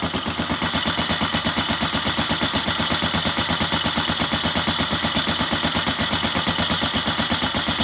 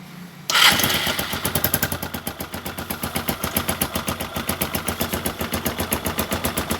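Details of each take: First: Engine idling cold on Kixx 20W50 oil, before Mesran Super is added, gives a loud, fast, even mechanical clatter of about three beats a second over the rumble; rough, noisy cold idle, owner suspects the oil can't keep it smooth when cold. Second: Engine at low rpm after Mesran Super oil is added to the Kixx 20W50 fill, catching into a quick, even put-put idle with no rattle; normal idle, smoother than before the Mesran Super was added.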